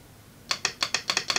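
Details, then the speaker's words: Relay coil energised on a bench test, polarity mattering on some relays: crisp dry clicks, about eight in a second, as the armature pulls in and contacts close; normal relay operation. "To hałas, który słyszysz, hałas jest spowodowany przez to, kiedy jest rysowany, w niektórych modelach dźwięk pojawia się przy wyciąganiu twornika a w innych przy uderzaniu styków lub stykaniu się styków"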